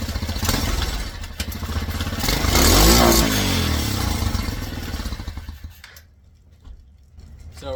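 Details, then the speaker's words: Tao Cheetah kids' 125 quad ATV, larger PZ22 carb swapped in for a VM20, #35 pilot jet: from idle, throttle snapped straight to wide open with no primer blip and the engine just dies; roars only after a primer blip. Lean pilot jet. "So, I'm going to start it up and get it idling. And then without any sort of primer, I'm just going to snap it straight to wide open. Just dies."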